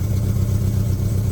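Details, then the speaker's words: Car power steering pump with engine running while the wheel is turned: steady low groaning hum as the spinning pump whips air bubbles into the fluid; shows why to bleed power steering with the engine off. "When all this is on, this is spinning in here, and you end up getting a lot of bubbles in there. So as you're trying to push the air out, you just end up getting more air in the vehicle."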